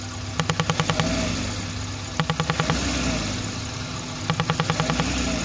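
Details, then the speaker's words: Old-model Maruti Suzuki Wagon R, LPG kit removed: over steady idle, bursts of about seven quick ticks repeat every two seconds; vacuum leak from the EVAP canister purge pipe left detached, clip lost since LPG removal. "इसका pipe भाई उतरा हुआ है already उसका clip पता नहीं है कहां है क्योंकि इसमें लगा था एलपीजी एलपीजी हटाया तब से साउंड आ रहा है"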